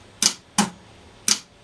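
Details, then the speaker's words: Warn M8000 12-volt winch (MRV B7 motor) solenoids tested on the bench via the remote: four sharp, uneven relay clicks with no motor hum; the solenoids clack but the winch won't run because of a bad internal contact. "dans l'aut on entend bien les relais qui claquent mais sans pour autant que le tril ne fonctionne"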